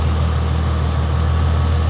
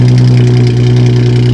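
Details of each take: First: 2004 Ford Mustang V6 with aftermarket hood and parts: low, even hum with no misses, knocks or ticks, and a steady rhythm throughout; a smooth, healthy idle. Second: Aftermarket exhaust on a car with 121,000 miles, no exhaust pipe visible: deep, loud, booming idle with a strong low drone and no muffling, apparently missing its mufflers.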